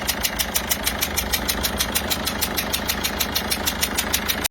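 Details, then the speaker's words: Peugeot 207 HDi diesel idling: sharp regular chuff about three times a second over the clatter from a leaking injector seal; injector seal repair to be carried out. "mais là on est quand même sur quelque chose d'assez poussé en termes de joints d'injecteur. Le bruit est assez énorme, donc nous allons engager les travaux de réfection des joints d'injecteur"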